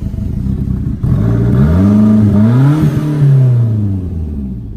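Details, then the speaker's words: Fiat Punto GT, just brought back to running and driving, with the airbox off, old spark plugs and no recent service, heard from outside: a deep, throaty note rising and falling with throttle blips and no knocking. It runs cleanly. "Sounds deep though. Let's have a quick listen from the outside."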